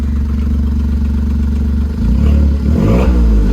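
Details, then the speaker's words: 2008 Smart ForTwo, first start with a new engine, smoking, OBD scanner watching coolant temperature: steady low putter rises smoothly when revved, no knocking or misfire; the engine revs freely. "oh we'll have plenty of time to rev it up don't you worry about that oh it's a smoky little girl scare me she sounds good dude"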